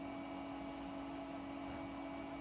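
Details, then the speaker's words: HP Pavilion desktop running Windows 2000: a constant airy roar with a low drone, like a vacuum cleaner; the computer is loud and the owner thinks it needs a new fan somewhere. "and this desktop is pretty loud too if you can tell in the background I think it needs a new fan somewhere uh but it almost sounds like a like a vacuum cleaner down there"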